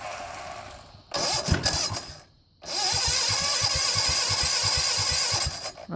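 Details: 1970 Sears Suburban tractor, 16 hp OHV Tecumseh single-cylinder, after repairing no-spark fault: catches after a couple of cranking bursts, then steady even beat with no misses; running properly.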